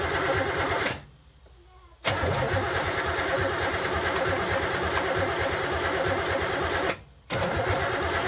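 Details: Third-gen street car engine after EGR block-off plate and third set of spark plug wires, just refuelled after running out of fuel: steady starter cranking in repeated tries with short pauses, engine never fires; crank, no start.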